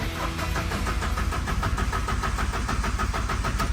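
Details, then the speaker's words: TATA 2.2 common-rail diesel (V3) cranks in an even chug, about four pulses a second, but never fires; scan showed camshaft sensor and fuel-system codes; the fix was a broken wire and replacing the cam sensor plug. "เช็คโชว์นะฮะรถสตาร์ทไม่ติดอ่าเดี๋ยวมาดูกันนะว่าเป็นอะไร"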